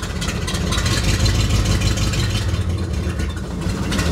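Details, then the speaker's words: 1960 Chevrolet Impala carbureted engine with crudely set new points, after a 2,556-mile drive: low loping idle in gear that sags, wavers and shakes almost to stalling; rough idle in gear, suspected carburetor, points dwell or timing. "dies at idle almost shakes a lot it's idling crappy"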